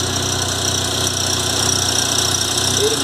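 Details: VW Golf Mk3 single-point injection, after fixing idle stumble by replacing the idle actuator: steady, even idle with smooth low beat, no stumble or skipped firing; normal idle after repair.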